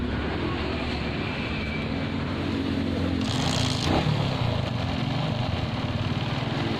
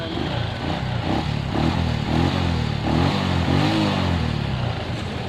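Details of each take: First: Suzuki Shogun 125 with shorted CDI that sparks on electric start but not on kick start: small single idles unevenly with a wavering beat and some handling clatter; suspected shorted CDI. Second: Suzuki Shogun 125 after fitting a new CDI: starts normally on both electric start and kick start, single cylinder runs evenly through throttle blips, no misfire.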